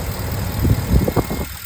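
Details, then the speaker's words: 2015 Ford F-250 6.4L after the electronic throttle body was replaced: low, even idle, the earlier clicking and vibration gone, clean acceleration; normal idle. "Ya se le fue el sonido que estaba acá, vibración, una aceleración limpia."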